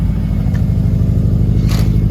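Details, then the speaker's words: Freshly started car: steady low rumble with an even quick pulse, no knocking or rattling, no smoke yet; idle sounds healthy. "It's not smoking. It's not smoking at all yet. Sounds healthy."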